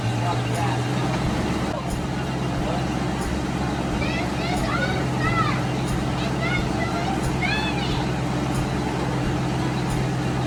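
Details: 1990 Ford Mustang V8 Fox Body convertible just started after sitting eight years: deep, steady, noticeably loud, boomy idle outdoors; owner says the exhaust needs attention.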